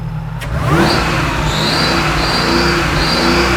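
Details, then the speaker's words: 2004-era Mercedes E55 AMG 5.5 L supercharged V8, after cheap repair restoring blower operation: revs with thin high whine rising and falling with throttle over exhaust note, not heard before repair; supercharger now working. "Didn't do that before. Yeah, we might have a blower now."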